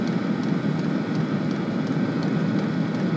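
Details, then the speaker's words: Webasto heater run on the Orbasto replacement ECU board, in burning mode with the glow plug off and hot water circulating; steady, even combustion roar with soft fan rush, no pulsing or popping; normal burner operation. "turbine it thinks it's on heater mode to burning one so it's quite happily running just now"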